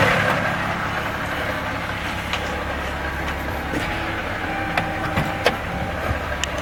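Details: Steady idle with a dull, loosely regular knock about three times a second, a loud deep bottom-end knock; possible rod knock, not confirmed.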